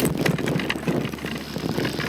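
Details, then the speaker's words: Canyon Neuron:ONfly e-MTB, Bosch SX motor (600W, 55Nm, 400Wh battery), riding: pronounced whirring louder than Specialized SL 1.2, plus loose clacking rattle from inside motor like chain on carbon, worse on rough descents; cause unknown, performance seemingly unaffected. "It's definitely more audible than Specialized Turbo SL 1.2 motor, with a more pronounced whirring as you pedal around. Not only that, but there is a proper, and I mean proper, rattle from inside the motor."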